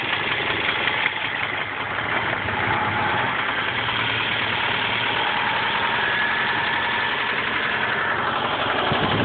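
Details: Nissan KA24 four-cylinder petrol engine knocking at idle, about three knocks per second; owner unsure whether rod knock, timing chain or lifter.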